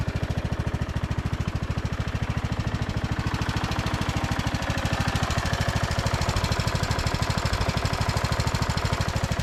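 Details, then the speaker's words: Briggs & Stratton-powered Craftsman DLT3000 riding mower after a no-start, fuel line cleaning and battery charge: even, steady single-cylinder thump at fast idle with no misses or knocks; carb still to be cleaned. Normal running. "sounds good though"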